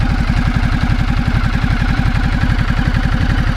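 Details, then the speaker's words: 2010 Ducati Multistrada 1200 L-twin just started on the button: a steady, even lope with no knocking or rattles, a clean, healthy idle. "hit the starting button here that big l twin comes to life with no problem at all"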